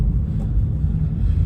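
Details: Subaru Forester SG5 driving after front suspension knock repair and power steering pump replacement: only a low even road rumble, no clunks or knocks from the front end; suspension tight.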